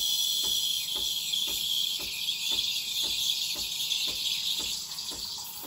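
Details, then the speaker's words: Breville Barista Express BES870 steam wand aerating milk for a latte, jug angled, wand near the surface for the first 10 seconds. A bright high-pitched hiss with soft chirps about three times a second as air is drawn in; normal aeration. "want to hear this hissing noise in the first 10 seconds. This noise means you're aerating and making the milk creamy and bubbly."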